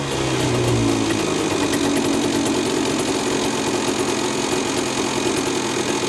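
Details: Honda NSR50 two-stroke, Daytona bore-up cylinder, idling: fast rattly metallic tapping; suspected crank big end or balancer bearing.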